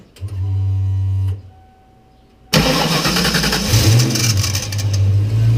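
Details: 1993 Ford Mustang Cobra, recorded from underneath with the microphone aimed at the starter. A shrill buzzing squeal lasts about a second at startup, then the engine runs on; the starter is suspected of staying engaged and being overspun, so it is being replaced.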